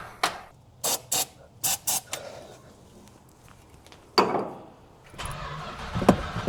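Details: 1967 Plymouth Fury VIP, just after oil change and belt replacement (gas cap also changed; one wire found partly melted): several short starter bursts then longer cranking, never catching; owner suspects no fuel getting through, cause unconfirmed.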